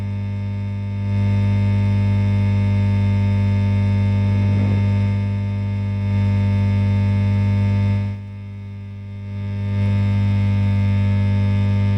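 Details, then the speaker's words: Fender Blues Deluxe-style amp in for a broken standby switch: loud steady low hum with buzzy overtones, barely changing as controls move, only shifting level; capacitors checked and cleared, suspected ground loop somewhere, source unconfirmed. "I've just checked the capacitors uh I've just checked the capacitors just put this across each one of them and it ain't any of the Caps oh it's a Grand Loop wow yeah it's a ground Loop somewhere"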